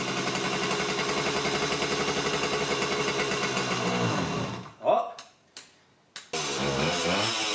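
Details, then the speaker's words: Vintage Honda MR50 Elsinore two-stroke, first start after new rings and crankshaft seals: buzzy steady running with a crisp firing rhythm, cuts out briefly, catches again and settles into even idle. "first start always exciting let's see what happens"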